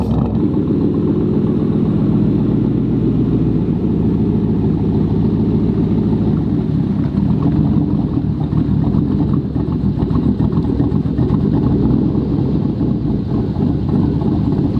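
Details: Lifted 2002 Chevy Tahoe with a cammed 450 HP crate motor, after a fix: a loud, choppy big-cam lope whose beat stays even and steady with no stumbling. Normal cammed idle.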